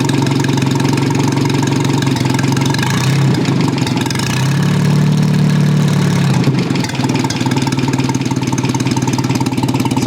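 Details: Old four-cylinder engine idling evenly on a cold start at about 2°C after correcting firing order to 1-3-4-2 and adjusting ignition timing; steady low beat with no misses or knocks, now running smoothly.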